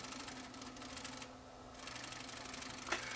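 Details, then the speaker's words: Sony CCD-TRV715 Hi8 camcorder, after running a cleaning tape: faint uneven chatter around four a second with a brief clack as the head drum tries to start while the tape sticks to it. "that noise you hear is the drum trying to start up but the tape is actually sticking to the drum"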